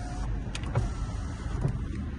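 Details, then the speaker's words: Mercedes C180 (possibly C200) Sport electrical check: power window motor gives a low, smooth, even hum as the glass travels, no grinding or straining; all windows working normally. "quite a dark tint in the back so all the windows working"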